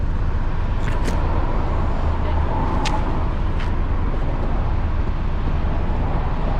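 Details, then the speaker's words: 2016 BMW 328i F30 after replacing the exhaust flap actuator clip: steady deep exhaust rumble at idle with city traffic behind it, no metallic rattle; exhaust healthy. "here let me get a quick exhaust clip i'm in the city right now so don't mind the external noise but here we go"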